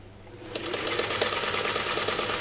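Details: Freshly serviced Singer 301A sewing two layers of US Army grade canvas: the machine spins up in half a second, then a fast, even stitching chatter with no knocking or binding; running sweetly.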